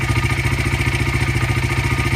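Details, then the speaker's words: Honda CRF80 with the carburetor air mixture screw set 1 turn out: quick, even single-cylinder idle with no stumbles, smooth versus the lean, missing factory setting at 2 turns. "So basically this bike's 1 turn out. That's happy. Seems to idle pretty good."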